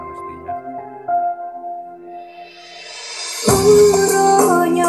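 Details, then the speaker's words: Active speaker that played very quietly even at full volume, after replacing the shorted final amplifier transistor: music plays clean and loud without distortion or crackle; output restored to normal. "ini sudah saya coba sobat ya Sebelum saya pasang saya coba Alhamdulillah ya suaranya sudah besar keluar ya"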